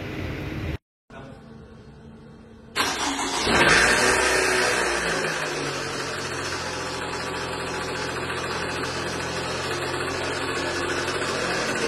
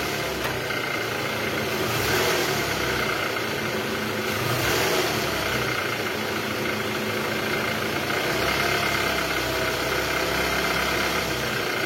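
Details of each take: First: 2012 Toyota Alphard ANH20 2AZ engine, about 74,000 km, cold start: cranks and catches, then harsh gravelly roughness at idle that fades when warm; balancer shaft found shattered with gear fragments in oil strainer. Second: 2012 Toyota Alphard ANH20, 2AZ engine, about 74,000 km, after replacing a broken balancer shaft, idling in R gear: steady, even idle with no knocking or uneven beat, only a soft rise in engine noise now and then; normal idle.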